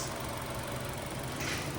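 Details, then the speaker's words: Chevrolet Trax after cylinder head work, warmed-up idle during coolant bleeding with cooling fan running automatically; steady even hum, no knocks or misses; engine quiet and okay. "Tahimik na dol. Ayos na. Ganda na. Uminit na yung kwan. Automatic na."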